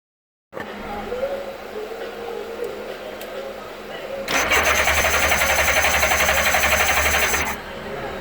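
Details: GL1000 crank, no start: steady, even starter cranking at about four beats a second for three seconds, but the engine never catches.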